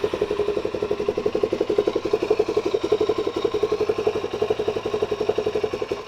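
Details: Suzuki DRZ400SM single-cylinder after repairing a leaky fuel petcock (seal refitted with sealant and tape): steady idle, even pulses near three per second, no misses or knocks, no fuel leak; engine runs clean and healthy.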